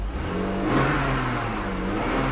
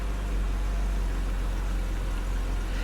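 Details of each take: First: 1997 BMW E39 after new plugs and gasket, misfire possibly from oil in the cylinders clearing: revs rise and settle evenly with a clean steady note and no stumble; running smooth. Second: 1997 BMW E39 just started after new plugs and gaskets: deep idle with a faint uneven beat; misfire suspected from oil in the plug wells that got into the cylinders, then clears up.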